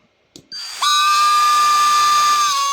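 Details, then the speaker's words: Parkside Performance 20V cordless tool under diagnosis, motor ruled out; after turning the speed variator, sharp start then steady high whistle-like whine dropping away; variator or board suspected; abnormal motor noise. "phénomène un peu bizarre don j'ai tourné le variateur pas variur qui déconne bruit bizar le truc ça"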